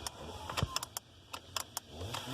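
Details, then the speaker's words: Ford Falcon (BA/BF) automatic, key turned: relay clicks with no cranking despite good battery, reprogrammed keys and jumper leads; starter blocked by faulty gear lever misread position. "So when I turn the key, nothing happens, and I can hear the relay"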